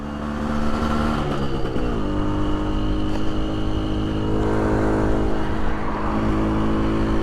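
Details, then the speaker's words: 1981 Suzuki GT250 X7 two-stroke twin, barn find after full rebuild, first ride about four miles: massively down on power, rough, flat, uneven note under load, seems to run on one cylinder again; cause unconfirmed. "Not a lot, but it's well down on power right now. Massively down on power."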